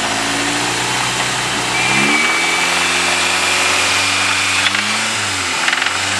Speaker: yeah that sounds like cylinder one or two